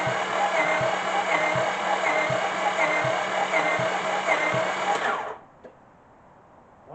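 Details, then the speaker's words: 2005 Honda Pilot engine after head was put back on, cranking during a compression test; starter whirs with even soft chuffs about four per second, no firing, gauge reaching only 30 psi: low compression, engine judged gone. "we didn't. Nope, right at 30."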